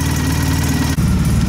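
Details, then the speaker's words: Polaris Sportsman 700 after installing an HMF fuel controller: deep, steady, bassy low rumble with an even beat and no knocks; idle rpm sounds lower after the change, smooth and healthy. "It sounds like it's running a bit lower too, like lower RPM at idle, which is kind of sweet."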